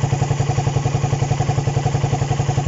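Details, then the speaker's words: Raider 150 after cam chain tensioner reset: steady single-cylinder idle with even low thumps around nine per second; the earlier top-end ticking is gone, engine healthy. "Yun, medyo nawala nga yung lagitik mga idol. Yan, okay na. Nawala na yung lagitik na narinig natin"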